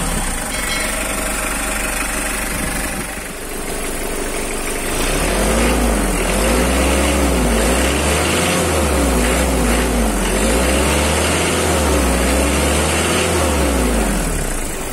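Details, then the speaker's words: 2009 Mitsubishi L300 pickup with power steering and a 2,500 cc diesel, idling during a sale walkaround. Steady, even clatter with a smooth low throb and no knocks or misses. Normal diesel idle. "Untuk suara mesin, suara saya mungkin akan terdengar berisik bercampur dengan suara mesin, saya akan diam sejenak agar Anda bisa mendengarkan."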